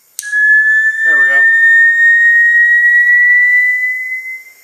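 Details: Bernzomatic butane soldering iron at start-up: a clean, steady high whistle that climbs slightly in pitch as the flame settles, then fades. The ceramic tip glows orange and should be ready within 30 seconds; normal lighting.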